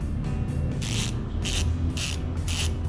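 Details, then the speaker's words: Weapon MTB rear hub, convertible from quick-release to thru-axle, shown to compare ratchet-type and pawl-type hubs. Loud, rapid, crisp clicking buzz in bursts as the wheel freewheels. Normal freehub buzz. "So yung ingay nito mga master, pakita ko sa inyo. Parinig ko sa inyo. Okay. Okay. So okay na rin siya."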